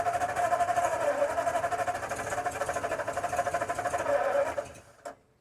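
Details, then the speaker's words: 1952 Ford F-1 6-volt, first start in 28 years after carb rebuild, oil sludge cleanout, PerTronix ignition, new plugs, wires, cap, rotor, timing being adjusted: rhythmic starter churn about three beats a second, never catches; cranks but no start, out of gasoline. "Oh, you need gasoline. No wonder it was close, but it didn't finish. Because you were running off what was already in there from last time."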